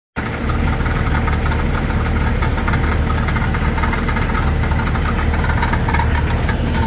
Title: Jeep TJ Rattling Noise